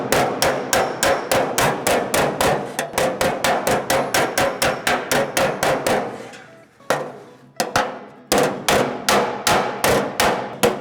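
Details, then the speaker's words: Hammer and dolly work on a custom engine bay panel, taking tension out near a weld: quick blows with a hollow, drummy ringing tone where the hammer isn't contacting the dolly. "You can hear that drummy drumming sound is when we're not getting contact with the dolly."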